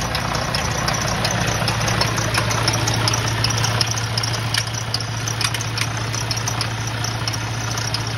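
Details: Detroit DD13/DD15 truck at idle: heavy diesel drone with loose, uneven rattle about three a second, like belts squealing and squeaking; high-pressure fuel pump failing internally.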